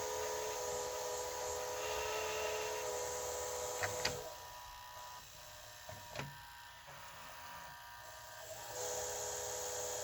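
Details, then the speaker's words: 1985 Hitachi VT-63 VCR: steady high singing whine from dry, worn motor bearings, coming and going with mechanism clicks; it still works, and oil was tried around the edge. "here's the noise i was talking about in this motor you can hear the bearings sing a little"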